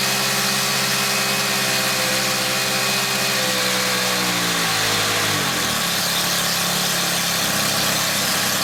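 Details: Small engine after its loose carb tick-over screw was secured with PTFE tape on the thread: a high buzzy note holds steady, then eases down to a lower, even tick-over. The idle now runs smoothly.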